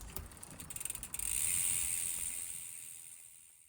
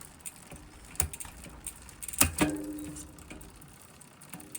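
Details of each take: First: SRAM GX AXS rear derailleur after a cheap fix for clunky shifting, with the app adjustment set at 28: quick ratchet ticking then a soft whir, clean shifting across the cassette with no clunk. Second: SRAM GX AXS rear derailleur micro-adjusted to the maximum of 31 so it reaches gear 12, making the other gears very clunky: light freewheel ticking broken by hard metallic clunks as the chain jumps cogs. Later fixed by spacing the derailleur out with two washers.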